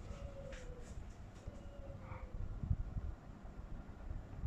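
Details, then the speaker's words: Panasonic F-M14C7 ceiling fan after its circuit board was replaced to cure a strange noise; it now runs much more quietly, with only a soft low rumble and no buzz or clicking. "it's much more quiet. It's much more quiet now."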